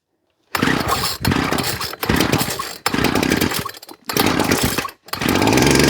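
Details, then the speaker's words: Ryobi Grass Scorpion RCT-2800 two-stroke line trimmer after new fuel lines and primer bulb, started on choke with the carburettor not yet cleaned: it catches, blips in short bursts with brief dips, then settles into a steady, even buzz and runs normally. "W look at that and it idles beautifully"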